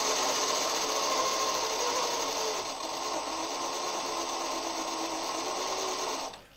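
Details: CrossRC MC8 RC truck after winter mud abuse, both metal front axles rebuilt with new end and steering-hub bearings (diffs spotless, gearbox not yet greased): smooth, even whirring spin-up, steady pitch, no grinding or clicking; nice and quiet, healthy drivetrain.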